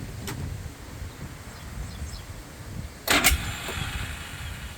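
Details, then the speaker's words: 2001 Polaris Sportsman 500HO single-cylinder after handlebar switch and its wiring replaced (CDI and key switch replaced earlier for misfire): runs steady and even with no stumbling or popping, then a brief burst; misfire appears fixed. "Okay, it's running."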